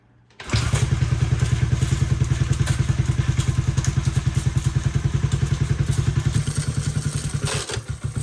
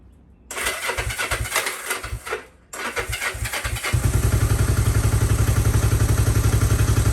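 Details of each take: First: Unrestored 1972 Honda CB450 being started with the starter button plus kickstart, in neutral: heavy even thumping at about three and a half a second; doesn't sound right, and a chain seems to be catching inside, cause unconfirmed. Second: Unrestored 1972 Honda CB450 motorcycle, fresh SAE 10W-40 oil, in neutral on choke: choppy cranking bursts, a pause, then catches and settles into a steady, even firing beat; normal start.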